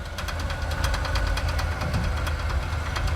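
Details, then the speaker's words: Jeep J10 pickup, driving: sharp even knock about eight times a second over low engine rumble; suspected zip tie on the driveshaft, not confirmed. "what is that okay so it did you put a zip Tire on the drive shaft maybe that's probably what it is"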